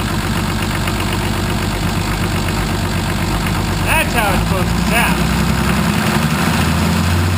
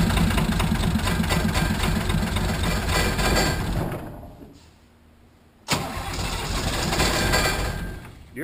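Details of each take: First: 1980 International Harvester Travelall with Nissan 33SD turbo diesel, after oil, fuel and air filter service and bleeding air from the fuel system: steady, even idle with a low rumble and no misses or knocks. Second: 1980 International Harvester Travelall with Nissan SD33 turbo diesel, first start after oil, fuel and air filter service. It cranks and stumbles with rough, uneven firing, nearly dies, then catches; air in the fuel system, may need the bleed screw cracked and more priming.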